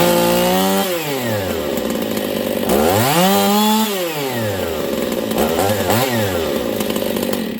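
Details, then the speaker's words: Husqvarna 272/268/266/61-chassis chainsaw running lean even with high jet turned out another quarter turn, revving high and screaming with pitch surging. Lean running from an air leak, suspected at crank seal. "it should be way too rich right now but it's not all right listen it goes okay that's dangerous if you were running this saw like that you'd probably pop it so we have a fueling issue"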